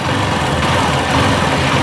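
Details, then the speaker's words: Yamaha Fazer 250 at idle after the cam chain tensioner was fixed and refitted: even, steady single-cylinder idle with the earlier tek-tek ticking gone; engine now sounds smooth and healthy. "acabou aquele tektek o acionador agora está em perfeito estado"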